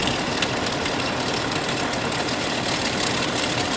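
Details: 1998 Chevrolet Cheyenne K2500 idling with a noise under the hood and a flickering battery light: through a stethoscope the AC compressor gives a steady, even whir with no grinding and is much quieter than the failing alternator; compressor normal.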